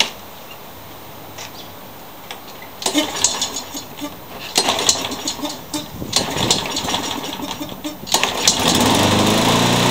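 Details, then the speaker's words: Troy-Bilt TB360 mower engine running on an aftermarket replacement carburetor: surging and chugging, power rising and falling about three times a second instead of a steady run; owner blames the poor aftermarket carburetor. "so I think you could probably hear this thing chugging I'm not impressed with this aftermarket carburetor"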